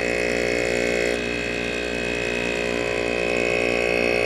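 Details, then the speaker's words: Rotary compressor salvaged from an HVAC unit, refrigerant removed, thumb blocking outlet: steady buzzing hum drops and strains, then slowly rises as pressure builds; normal labouring against closed outlet. "nice we have air flow can hear that kind does it pressurize it does it's a little angry when it does that"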